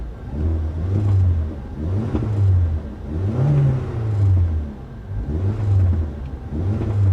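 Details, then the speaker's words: Mazda RX8 Shinka at a salvage auction, blipped in neutral with the e-brake on about every second and a half. Revs rise and fall cleanly and evenly, with exhaust snap, crackle and pop; normal free revving. "hear that crack of the exhaust let me see if i can lean out so you can hear a little better let's see yeah i've got a little snap crackle pop going on"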